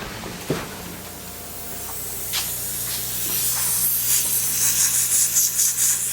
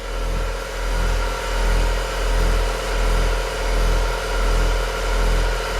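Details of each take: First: 1966 Chevy truck air bag system: constant high, airy hiss rising and wavering as compressed air escapes; owner hears possibly two leaks, traced to a fitting not tightened enough, stopped after tightening with a 1/2-inch wrench. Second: 1966 Chevy truck air compressor for air bags and air horn, rubber-mounted; loud steady drone swelling and fading about 1.5 times a second, running normally but noisy; a leak was heard at the horn.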